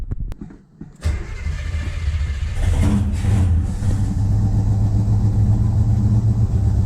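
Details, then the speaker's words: Skylark carburetor: engine catches and revs with a rough, uneven rumble but dies when the throttle closes, will not hold idle; stalls at idle. "still no idle so it seemed to uh rev good and everything but it doesn't want to idle if you if you hear that but as soon as I let the throttle close it just like you could tell by the noise that made it it was going to shut off"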